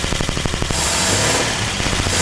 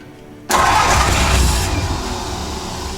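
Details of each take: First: 1949 Vortic Ford truck at first start after a tune-up, with the ballast resistors bypassed and 12 volts fed straight to the coil: quick, even firing pulses settle into a smooth, steady run with no knocks or misses and a little smoke out the back. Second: 1949 Ford truck (Vortic project), first start attempt with the exciter wire jumped from the starter solenoid to the coil: cranks hard with rough chuffing that never catches; ballast resistor suspected of too much resistance, weakening ignition.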